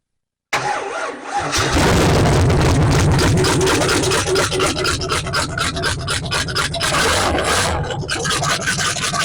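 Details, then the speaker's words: 1968 Camaro 327 V8 with Powerglide, said rebuilt then sat 15 years: cranks briefly, fires first try, steady even idle with no knocks or misses; shut down quickly pending break-in; normal start and idle. "as you saw the Camaros 327 fired up um sounds ready to go we shut it down real quick because we haven't done a break-in on it"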